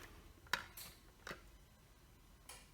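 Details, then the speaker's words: Sommer Direct Drive garage door opener, Sonoris 550 compact, with power present and lights coming on from the wall switch or remote. A few sharp, dry clicks and no motor running; the door does not move. Cause not confirmed. "get the click sound I don't know if you can hear it from here so it is clicking but obviously the garage door isn't that opening"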